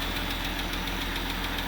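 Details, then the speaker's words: Jeep Grand Cherokee 3.6 Pentastar V6 at idle, quick steady ticking about seven per second over smooth running, heard mostly from the bank one side; suspected broken rocker arms, repair planned. "That ticking noise is coming from Bank One side. Yep, I hear it mostly over here."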